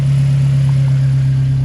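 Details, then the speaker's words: Turbo Mazda first fire-up after timing chain and VVT work: smooth, steady quiet idle with no ticking or rattle, much quieter than before; old timing chain was likely noisy. "much quieter than before from the engine wow that is quiet"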